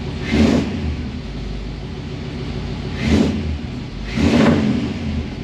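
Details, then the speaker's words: Ford V8 with 4-barrel carburetor, after sanding a sticky spot on the slide linkage that made the 4-barrel stick open, just restarted: even idle with three sharp throttle blips that rise and fall cleanly, no miss, healthy. "get started well uh she sounds good i'll go ahead and take a look under the hood a little bit"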